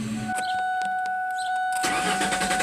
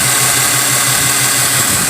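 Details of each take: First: 2014 Mazda with a cylinder 1 misfire code: even starter cranking, about three and a half pulses a second, no knocks or grinding; engine sounds normal while cranking. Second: 2014 Mazda petrol engine idling with an uneven, lumpy beat, a regular stumble; code shows a cylinder one misfire, coil spark looked fine and no mechanical issue suspected.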